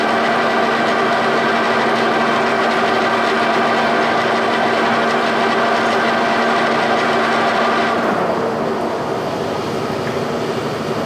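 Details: G&L facing head on a 340T boring mill after fixing runout (spindle bearings fine): steady even spindle hum, smooth regular rotation about three turns a second, no knock or chatter; the facing head runs true.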